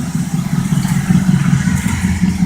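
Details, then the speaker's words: 1972 Oldsmobile 98 with 455 big block V8 warming up after cold start; lumpy low idle with throaty puffing chuff each firing pulse and loose clatter from a hole in the left muffler, exhaust leak. "I got a hole in my muffler right here but see there's not much smoke coming out of the left one"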